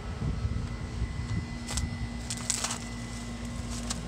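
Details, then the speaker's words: HVAC outdoor unit (model FB4ANF030) after a burnt lead connector was replaced, cooling called at about 66: a low steady hum with a faint tone under the fan's rush; the owner hears the condenser running and checks whether anything is iced up. "I definitely hear something in there I hear the condenser"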